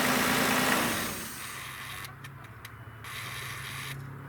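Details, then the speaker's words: 1995 Nissan Maxima/Infiniti just after serpentine belt replacement: brief louder burst, then quiet, steady idle with no squeal or chirp and belt not flopping; normal belt drive, old belt blamed for previous squeal. "so i'm gonna start it up now that sounds good to me it looks pretty good to me it's not flopping around"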